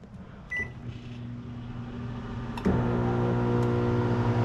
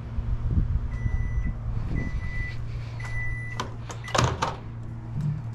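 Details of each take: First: GE microwave that won't heat: keypad beep and fan hum, then a harsh loud electrical buzz, louder than normal, when running; suspected faulty magnetron, replaced. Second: Steady low even hum with a few short beeps and no harsh buzz from a GE microwave after its faulty magnetron was replaced. Before the repair it buzzed loudly and wouldn't heat; now the water boils and it runs normally.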